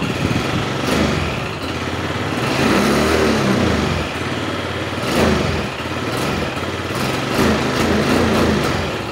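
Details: Yamaha Mio 125 carbureted scooter: engine blipped repeatedly but revs climb only a little and fall back sluggishly, hesitating and not revving up; a damaged wire was found.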